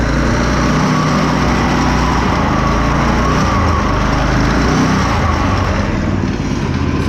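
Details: Go-kart small single-cylinder engine with a newly installed torque converter, fitment not perfect; buzzes along steadily with an even, unbroken note, no knocks or slipping; normal running.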